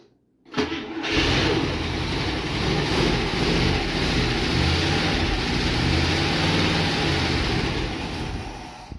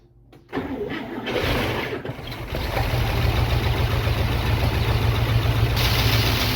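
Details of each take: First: International Scout not run in about 13 years, with new but incorrect plug wires and a 40:1 two-stroke oil and gas mix poured in; starter a little iffy. It catches after a brief crank and revs cleanly on throttle with the accelerator pump working. Healthy start. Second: International Scout V8, first start in about 13–15 years after new spark plug wires: no fuel line connected, cranks then fires in steady low pops on gas fed down the carburetor; firing order sounds good, runs briefly near idle.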